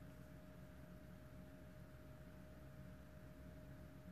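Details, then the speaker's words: 2007 BMW 118d 2.0 diesel, a non-starter with no DDE (engine ECU) communication, at first ignition-on before any work. A steady electric hum and whine from the in-tank fuel pump keeps running when it should have shut off. "because I can hear the fuel pump in the tank carry on going it should be off by now that's weird he's still going"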